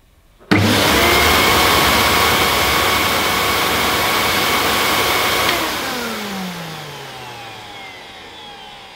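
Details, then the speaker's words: Vintage Miele De Luxe S126 stick vacuum, 800 W, first switch-on via an adapter: it blows out dust, then a smooth, quiet, steady high whir that winds down evenly at switch-off, with no rattle. Healthy motor. "but that sounds very nice it's very quiet"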